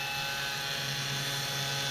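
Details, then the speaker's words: Compaq PC with an FSP power supply: a loud, steady hissing whir with a buzzing hum. The power supply fan vibrates because its bearings are dry; it needs oiling or replacing, and the machine also needs some capacitors replaced. "the power supply fan is vibrating like crazy [Music] [Applause] you know what's happening is the the fan the bearings and the fan is getting dry and gonna have to lube them get some oil in there a"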